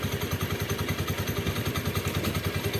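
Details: Honda Beat scooter CVT at idle: fast, even clatter about seven or eight clicks a second; clutch lining retaining plate worn loose by the lining lock clip, rattling; minor fault, fixed by servicing the clutch.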